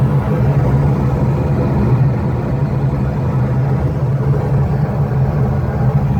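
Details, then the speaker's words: New Bryant rooftop package unit furnace blower ramped to high speed: steady, heavy low rumble with droning hum; technician dislikes the blower sound, cause suspected, not confirmed. "i don't like the way the blower sounds but that's a whole nother issue"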